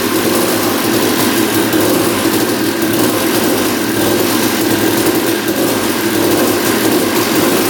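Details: 1989 Honda CR250 two-stroke that had been sitting, first start after carb cleaning: buzzing fast idle with a light metallic rattle from the lower end; engine seen moving in frame, loose engine mounts suspected, not confirmed.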